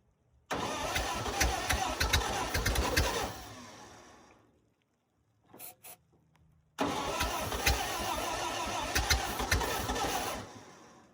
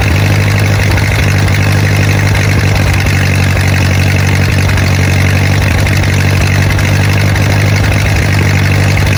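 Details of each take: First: 1928 Ford Model A, sat 75–80 years in a ditch, cold day, torch-warmed, rings swapped into a different block and not yet seated so compression low: long uneven starter cranking with ragged firing, won't catch; timing needs more advance. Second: Rusty 1928 Ford Model A four-cylinder that sat 75-80 years in a ditch, started on a cold day after torch heating. Steady, even low idle with no knocks or misses. The carburetor flooded, but it runs well; the clutch is not yet working.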